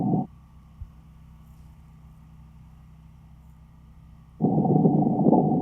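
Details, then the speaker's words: Buried water service line leaking between meter pit and house, heard through a ground microphone at several points: steady low rushing hiss with a faint bubbling edge that comes and goes. "okay so as you just heard when I was listening to that leak across these different points"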